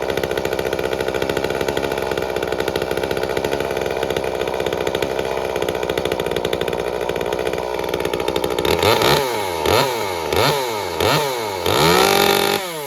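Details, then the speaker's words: Echo CS-355 chainsaw after a muffler opening, a plastic relief, a timing advance and a raised idle screw: a steady crisp idle, then clean quick blips to high revs that return smoothly. It is tuned slightly rich on top for longevity and runs normally. "w and believe it or not I think it's could still be a little bit leaner on the top end but uh I think that's a good safe tuning setting for it for longevity and everything else so we'll call that done"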